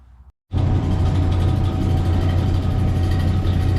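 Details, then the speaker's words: Old lapidary slab saw starting its first cut on an opalized wood limb cast, lid closed: after a brief hush, loud steady low drone from the auto-feed vise motor and pulley that spins the saw; running normally. "So you can hear about how loud it is. That is the pulley and motor for the auto feed for the vise, and that actually is what's spinning the saw."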